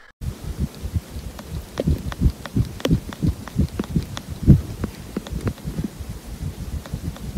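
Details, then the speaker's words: Apple AirPods Pro taped to a phone microphone with an ear tip fitted: uneven dull thumps with sharp clicks and buzzes, the earbud rattling against its ear tip; the rattle recurs with every tip size but never without one. "i can recreate the rattle with all the ear tips"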